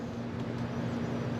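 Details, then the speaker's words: Indoor AC blower running after the thermostat was rewired and a jumper added for the AC side: steady low hum, even tone, no rattle or scrape, sounding normal. "I can hear the fan on top of me"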